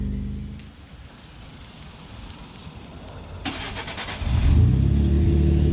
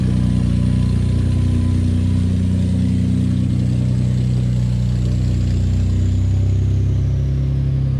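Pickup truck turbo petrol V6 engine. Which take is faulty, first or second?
second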